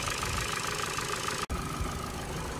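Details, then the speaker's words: 2011 Ford Focus Mk3 1.6 petrol at idle before service: light even tick about seven per second over smooth idle; valve lifters suspected, engine felt diesel-like, oil additive added to quiet it. "rather noisy 1.6 uh title engine felt like a diesel but i've been informed that might just be um the uh valve lifters catholics"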